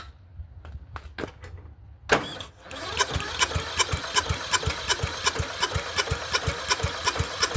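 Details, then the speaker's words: Murray Select 30-inch riding mower, first start attempt before repair, on a battery pack, air filter needing replacement: steady starter cranking about three compression pulses a second, turns over freely but never fires; cranks, no start, carburetor next. "at least it turns over. Good. Good sign. I just wanted to see if it would bark."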